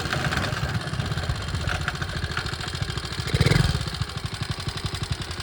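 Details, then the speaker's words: 1961 Honda 50 Super Cub, 50cc single, rebuilt from engine in pieces in a crate, running with no battery and electrical unfinished; quick even putt-putt with a brief throttle blip, running sweet and sounding pretty good. "can see that it's back in the land of the living and sounds pretty good"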